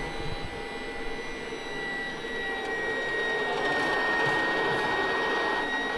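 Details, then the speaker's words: Type 69 tank turret power traverse running off the generator after the electrics are switched on: even whirring motor with a steady high tone and no grinding or knocking; traverse drive runs smooth and healthy. "And now we can use the power traverse. There we go. You see? Nice and smooth."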